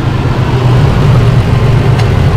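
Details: 2005 Holden Rodeo 3.5-litre: loud, deep idle that lumps and stumbles unevenly with shaking, a misfire traced by pulling coils one at a time to a failing ignition coil.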